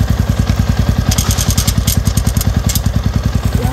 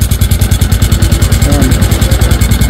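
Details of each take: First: Yamaha Sniper 150 V2 with aftermarket TRC pipe, after tightening the loose sensor plug on the exhaust: steady, even single-cylinder idle with no rattle or buzz from the pipe; now quiet. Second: Sniper 150 V2 after an aftermarket TRC pipe was fitted: steady idle with a fast metallic clatter, about ten per second, riding each exhaust pulse; a sensor on the pipe left loose, not engine trouble.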